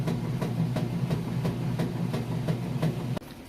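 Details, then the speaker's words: Kenmore top-load washer, normal setting, warm water, super capacity plus, full load of jeans and towels, agitation cycle: low churning hum with regular swish-thumps about three per second as agitator reverses; strong, healthy agitation. "Lid switch works. You can hear it's got a nice strong agitation, which is essentially what gets your clothes clean."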